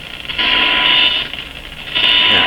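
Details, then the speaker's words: Grundig Satellit Professional 650, weak shortwave band: loud swelling hiss with the 1 kHz test tone barely audible; owner suspects too little signal reaching the radio. "now why why isn't this why isn't this just a nice clear tone you can hear the tone in amongst all this hiss not enough signal coming to the radio"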